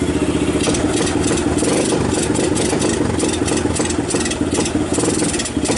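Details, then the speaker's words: 1990 Kawasaki Bayou 220 single-cylinder junkyard ATV, carb replaced, recoil starter rebuilt, good compression, after cold start: steady thump picking up cleanly on throttle, no misses, charging the battery, a little smoke rings; normal idle and throttle response. "actually sounds good oh it's even charging the battery those are pretty bright"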